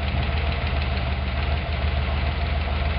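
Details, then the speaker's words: 302 V8 wagon, valve adjustment at idle: a rocker is loosened until it clacks, giving a fast, light ticking of about three per second over the steady idle, then tightened until it stops. Valve lash clatter. "So here we loosen it up until we hear it clacking. There you can hear it clacking. Yeah. Now we'll tighten it up until it just stops."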